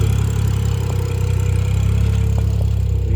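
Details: BMW F10 535i idling after an eccentric shaft repair; the owner wants to double-check for a leak. Deep, smooth, even idle with a steady low rumble and no ticking or misfire; the engine is running healthy.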